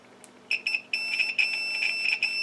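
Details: DT202 multimeter on continuity (speaker) setting: short high-pitched beeps in quick bursts, then a longer held tone as the probes touch; continuity buzzer working normally.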